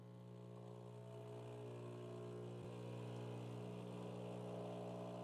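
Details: Breville espresso machine (Barista Pro/Express) pulling a shot, about 24 seconds to 38 g: steady, even low pump drone holding pitch throughout; pump running normally.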